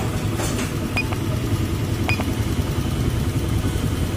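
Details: Fuel-injected scooter (Beat Pop) whose owner reports empty initial pull and dying or stuttering off throttle; TPS sensor checked OK, idle around 1200 rpm. Small single idles lumpy and unsteady with light clinks, close to stalling.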